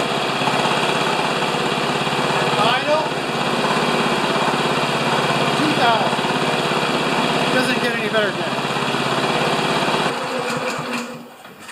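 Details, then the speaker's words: Older Honda single-cylinder mower after repair, started on choke: steady even high-speed run at about 3120–3160 rpm (target 3100–3200), no misses or surging, then shut off; no longer leaking. Normal running. "I'm gonna start it and we'll just check the RPMs if they're over 31 to 3200 I'll be a happy camper"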